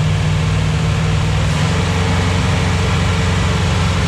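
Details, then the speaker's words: 241 Red Ram Hemi V8 during cam break-in on a cold Kansas day, oil pressure about 30 psi, under 80 degrees: loud, steady, even roar at raised revs, no knocks or ticks; normal, smooth cam break-in run. "I almost killed myself just for you guys it sounds good our back part by the mop work though and break-in we're going pretty smooth"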